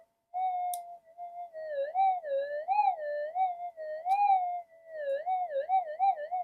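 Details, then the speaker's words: Metal detector in deep, normal, fixed cancel mode with clean-looking plug: warbling tone around 700 Hz drifts up and down instead of staying quiet; noise caused by oxides on coil connector contacts. "there you go. That's just oxides."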